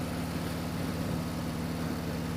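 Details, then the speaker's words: Motorcycle with a high-flow air intake upgrade: even low engine drone with a soft steady rush of intake air and no metallic contact; owner feared metal-on-metal, but it is normal intake air noise. "it's causing that noise and I thought it was metal onm metal but no it's just the sound of the air going swish swish swish swish"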